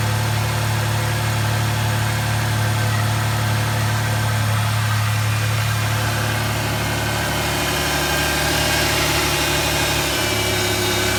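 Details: 2008 Dodge Charger 3.5L after valve cover replacement, checked for vacuum leaks around intake: steady, even idle with firm low hum, no ticking, knocking or hissing.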